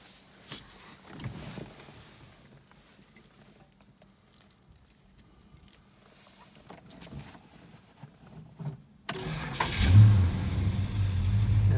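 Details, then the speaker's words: Restored 1969 Dodge Charger RT/SE with a stock-restored engine: a quick, strong Chrysler high-torque starter crank after a key jingle, then the engine catches at once and settles into a steady, healthy idle. "Chrysler high torque starter you recognize that sound I'm sure"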